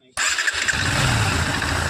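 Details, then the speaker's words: Bajaj Pulsar NS125 BS6, low mileage (about 14,000), after the timing chain and tappets were set: starts on the starter and settles into an even, quiet idle with no tappet ticking. Normal idle. "देख सकते हैं आवाज बिलकुल silent हो गया bike का। तो अब यहां पे मोबाइल का प्रेशर काफी तेज है।"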